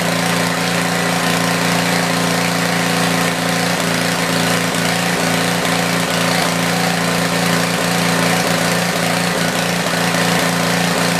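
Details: Tecumseh generator, believed 4000 W with 8 hp engine, long stored, after new feet were fitted: steady buzzing drone at constant speed with an even beat, no surging or misses; runs well and starts easier now.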